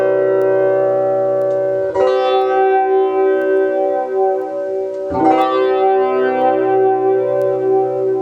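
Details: Ibanez FL-9 flanger pedal after repair of a loose wire and swapped, mirror-imaged potentiometers: strummed guitar chords with a sweeping, swirling whoosh; regen and delay time controls now working properly.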